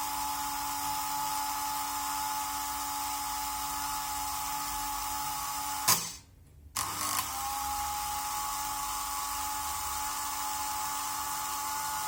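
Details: Märklin 7186 turntable, previously sluggish clockwise and stalling, after repair with Märklin oil on cogs, run both directions: even motor whine at constant pitch, brief stop to reverse, then same smooth tone; normal running.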